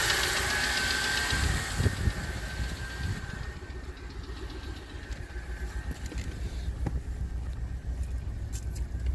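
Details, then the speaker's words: 2008 Ford F-150 XLT 4.6L V8, warmed up: uneven knock from the left/passenger side swelling on revving and fading as rpm drops; quieter when rpm held; appears only after warm-up. "I'm going to give it a couple revs and you can hear how the engine noise increases."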